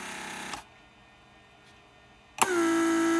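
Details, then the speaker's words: Mercedes S320 repaired PSE door lock pump cycling trunk handle retraction/extension circuit: short steady hum under a second, clean start and stop; normal operation. "once trunk lid is closed it creates vacuum for handle to retract itself one more time"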